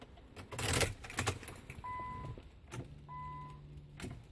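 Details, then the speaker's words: 2001 Nissan Maxima, about 110,000 miles, key turned: keys rattle, dash chime, then only a faint low buzz, no crank; battery, starter, neutral safety switch and starter fuse already checked. "just kind of had a little buzzing dozen I don't know if you can hear that but nothing battery's fine starters fine"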